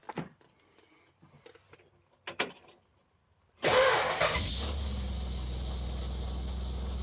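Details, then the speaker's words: 1964 Plymouth wagon with 440 V8 and swapped-in carburettor and intake, first start after rotating distributor plug wires one position: catches within a second and settles into a smooth, even low idle with no misses or knocks. "Fire right up. And it's pretty smooth. Old ugly ass motor sounds pretty good."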